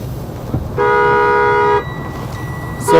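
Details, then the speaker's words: 2020 Freightliner M2 106 Summit Hauler: steady reedy mid-pitched tone for about a second over cab noise, the alarm sounding when a door is opened while in gear with parking brake released; safety warning working as intended. "So once the vehicle is in gear and the parking brake is released, if you try to open this door while this vehicle is ready to move, you will get this alarm every single time. So this is a nice safety feature to have on this truck."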